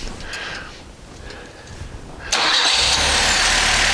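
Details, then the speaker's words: Volvo P1800 rebuilt engine, fired up in the workshop: brief starter whirr, fires at once and settles into a steady, even idle; lambda reads about 0.9, slightly rich but an acceptable idle mixture. "there we go. And there's our lambda. We're at idle mixture of about 0.9. I'm happy with that."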